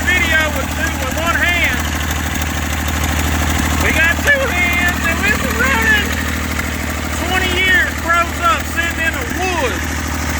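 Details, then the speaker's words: Massey Ferguson 35 three-cylinder diesel, sat in woods 20+ years with engine frozen from water, first run after freeing it: steady, even low chug at idle with birds chirping; fuel leak noted, burning off oil, sounds healthy. "I got a lot of fuel leak motor sounds good I don't have any water in so I got to shut it off here"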